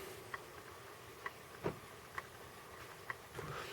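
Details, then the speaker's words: 1986 Sony Walkman WM-DD3 cassette plays with faint, unevenly spaced light ticks about every second over tape hiss; odd clicking from the mechanism, also heard during rewind, unclear if normal. "I don't know about that clicking noise, it's kind of odd."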